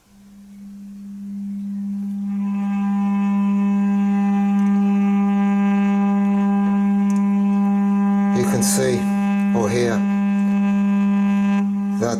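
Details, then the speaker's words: Large 8-inch woofer driven with a 200 Hz sine tone: steady tone with a buzzy rasping, square-wave-like edge as the voice coil scrapes on the magnet; fine at 300 Hz; voice coil rub. "I don't know if you can hear that but that is clearly scraping on the magnet"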